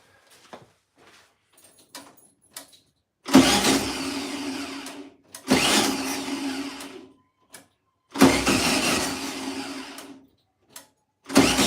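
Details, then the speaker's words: 1972 VW Beetle, first start after over two years sitting: three bursts of about two seconds each, catching, running rough and dying; running only on fuel poured in, float bowl to be filled via a fuel line. "I'm gonna see what I've got in here to try and fill that float Bowl up so I'm gonna use I'm gonna use a tiny little bit of fuel line pop it over the float bowl and let's see if we can keep it running for longer than two seconds shall we"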